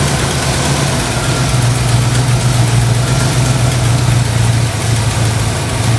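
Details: 1968 Ford Mustang V8 idling smoothly after jumping 12 volts straight to the ignition coil, cured bad coil voltage; deep, steady rumble, even firing, no misses or knocks, slight belt noise owner will tighten; normal idle.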